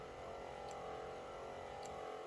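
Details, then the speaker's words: Magneti Marelli wiper motor for Alfa 2600, rebuilt from several motors, bench test on slow speed: steady even whir at constant pitch, no clicking, knocking or grinding; normal running. "So we're ready to test the motor here on its 2 speeds and park. So Matt, are you ready to give us a go here? Slow. Okay, there's the slow speed."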